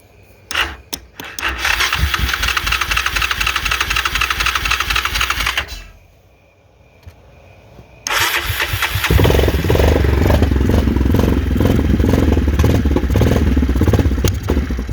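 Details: 2001 Yamaha Kodiak 400 ATV, diagnosed by a shop as seized but actually a stuck piston, catches after a brief crank, stumbles a moment, then settles into a steady even idle; runs normally after the fix.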